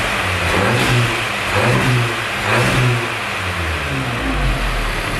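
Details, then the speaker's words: Audi S3 with a newly fitted engine, fully warm after 15 minutes' running with no coolant or oil leaks: a couple of smooth free revs rising and falling, clean steady idle between, no knocks or rattles; sounds healthy. "So I'm just going to give it a couple of revs now just to make sure it sounds okay."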